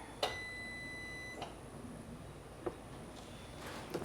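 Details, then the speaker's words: 2019 Sea-Doo jet ski with engine reinstalled after flooding and hull repair, battery connected: single clean beep of about a second on power-up in a quiet room; electronics wake up normally. "maybe if we oh we got it we got power that's good and this beep so that's good"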